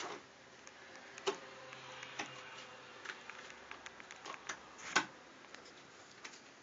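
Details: Samsung Galaxy Note home button giving sharp, irregular crisp clicks when pressed, even lightly without activating it.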